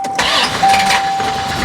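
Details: 1990 Ford Mustang GT 5.0 V8 manual, 16,000 miles, stored in a barn for 30 years, battery reconnected: brief crank, then it catches and settles into a steady idle under a faint whistle; clean start while an electronic spark controller is on order.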